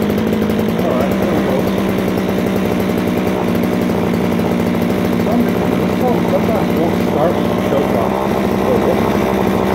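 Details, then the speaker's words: Stihl string trimmer, new primer fitted this year, must be tilted to get fuel, started on choke: a buzzy two-stroke that wavers and sputters instead of holding an even pitch; runs rough, and the owner suspects it needs carburetor cleaning. "oh ah yeah it probably needs some carburetor work probably some card cleaning"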